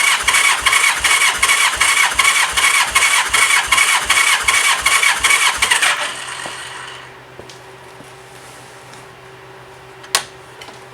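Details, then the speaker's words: 1985 Honda Gold Wing GL1200 compression test: even cranking with regular strong pulses about 2.5 a second, no weak beats; 150 psi read on this cylinder, normal against the 140–150 spec. "I got 150 on the nose for this one."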